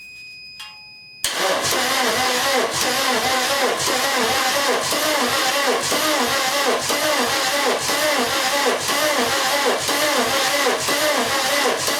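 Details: VW camper with swapped-in TDI engine, dual-mass flywheel just fitted, first crank: steady starter cranking at about two turns per second with even compression pulses and no catch, oil pressure warning beeping. No oil pressure; oil pump is driven off the vacuum pump.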